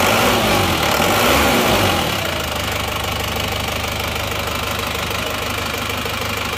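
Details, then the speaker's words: Isuzu Panther diesel rebuilt with genuine pistons replacing counterfeit ones, temporary thermostat: after a brief higher speed settles into steady, even idle with ordinary clatter, no rough knocking; now smooth. "jadi ternyata suaranya suaranya sudah halus bagus perbedaannya sudah sangat jauh ya antara seer yang asli dan se yang KW"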